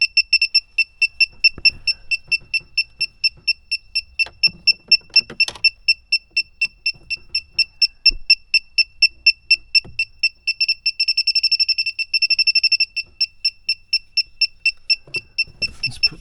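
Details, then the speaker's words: Refrigerant leak detector (sniffer) beeps about twice per second, speeding to a rapid chirp near the evaporator after all connections, compressor, condenser and lines were checked; system would not hold vacuum overnight; owner first suspected the expansion valve; refrigerant leak detected. "I checked all around every connection with the uh compressor the condenser all the lines going to it and I'm getting a sniffing reading right around here"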